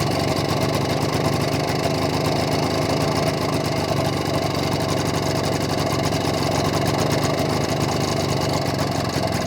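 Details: BSA D7 Bantam two-stroke under restoration, after timing work and a fine tweak: fast, even buzz with no misses, running smoother than before.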